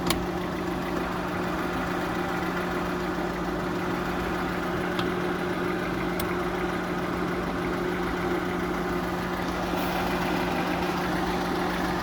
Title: работа промвала после ремонта кпп.